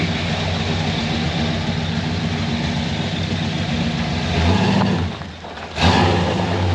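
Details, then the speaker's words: Supercharged C10 pickup after fixing vacuum leaks, timing and starter: deep, loud, lumpy idle with quick throttle blip and clean recovery, blower roar louder than before, no knocking; normal running. "I hope you guys can hear it echoing off all the buildings and stuff. It was never, that thing was never that loud before."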